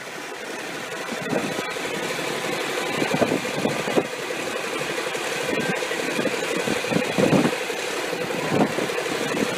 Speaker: This is the first test run after a rebuild of a 600 horsepower Cummins KTA19 diesel engine.